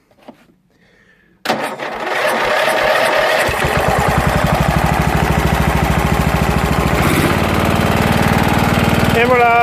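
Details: Jonsered LR 13 Automatic lawn tractor with a Briggs & Stratton 12 hp engine (model 284707, type 014701), rewired and started on a weakening battery with starting spray: catches at once, then an even, fast chug of about 200 beats a minute; normal running.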